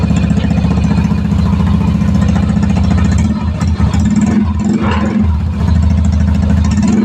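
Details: Yamaha Mio i125 scooter that stalled and would not start, running after troubleshooting found a blown fuse; steady single-cylinder putt-putt idle, even with no misses or rattles. Normal idle.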